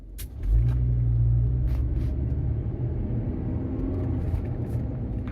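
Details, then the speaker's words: Toyota RAV4 pulling away from a stop: a deep rumbling drone and hum building under load. The differential noise starts first; it needs a rear diff and a left rear wheel bearing. "Okay. It looks like the differential's starting first with the noise."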